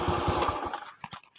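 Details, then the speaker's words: Older Honda Beat FI injection scooter with a starter dynamo, not ACG, that had been stalling, smoking white and using oil, after repair: the single cylinder holds an even idle with no misses or rattles; compression is normal and it no longer smokes. "Dan motornya juga di sini teman-teman sudah bisa langsam. Ini sudah tidak mati ya, dan kompresinya sudah normal, jadi motornya ini sudah normal kembali, dan juga sudah tidak berasap ya, sudah tidak ada asap di sini."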